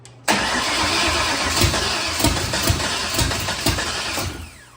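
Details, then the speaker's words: Foxbody Mustang after new intake install: starter cranks about four seconds with uneven firing puffs but never catches; owners suspect insufficient fuel due to a fuel leak dripping down the bell housing, not timing. "I think we're not getting just enough fuel because of how much is leaking on this side. I mean, I can hear it dripping and everything."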